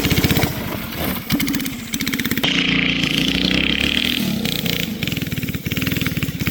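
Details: Barn-find race go-kart with an original flathead Briggs & Stratton that once ran alcohol, now on E85 after sitting 30+ years; the single pops unevenly and its revs sag and stumble under throttle, bogging. Carburetor issues suspected.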